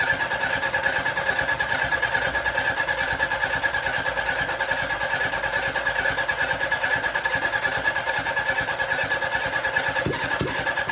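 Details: 1983 Suzuki GSX750ES four after rebuild, carbs newly installed, first start, no exhaust fitted: long steady cranking, a bit over two pulses a second, never catching firmly; slow to fire before eventually running.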